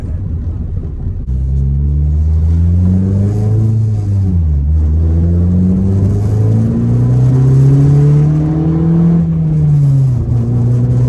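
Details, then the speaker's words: 2008 Ford Focus 2.0 on a test drive, inside the cabin: heavy booming drone swelling with engine speed, heavy vibration, dash items rattling, pedals tingling; cause is a failed upper front engine mount on the passenger side, often mistaken for exhaust. "people don't usually believe you when you tell them what it is but on these focuses it's really common to have a bad motor mount it's the upper mount on the front of the engine which is the passenger side of the engine bay and uh a bad Mount will cause stuff like this"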